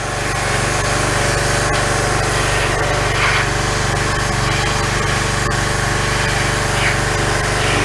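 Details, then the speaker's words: Pressure washer small engine after carburetor replacement fixed its failure to run: a steady, even buzz at constant speed with no surging or hunting, and it started on the first pull; the speed may be adjusted slightly higher. "sounds pretty good I think I think I'm can adjust it a little bit to make the motor wrong a little bit faster"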